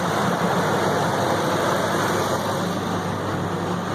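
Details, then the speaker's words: 2004 Ford F150 5.4 3V V8 start after coolant pipe and intake swap, low fluids, no coolant yet: smooth, even low idle rumble, no knocks or ticks, no blow-by; engine running healthy. "Idling nice and smooth. No noise. Sounds pretty good."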